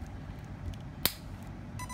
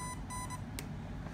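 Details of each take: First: RC ESC battery plugged in without a spark suppressor: a single sharp crack of arcing at the connector, which blackens it, then the controller's steady beeps. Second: RC ESC fitted with a spark suppressor (47 ohm 2 W resistor), touched and then plugged in: a few short high beeps with only a faint tick at connection and no loud crack, powering up normally.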